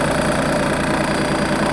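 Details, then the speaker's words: ISEKI TM17 diesel mini tractor with loader and tiller, 627 engine hours, at idle: steady, even diesel clatter with no misses or knocks. Revs rise and fall smoothly when blipped. Normal idle. "Можно погазовать. Обороты поднимает, опускает тоже плавненько."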